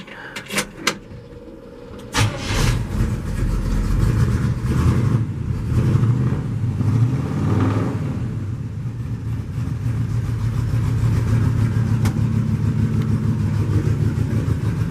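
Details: 1949 Chevy custom flatbed truck with dual exhaust exiting the same side: cranks, fires and settles into a deep steady idle with a few throttle blips, sounding healthy.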